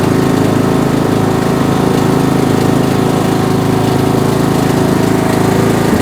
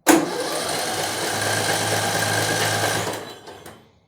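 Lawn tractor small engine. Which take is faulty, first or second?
second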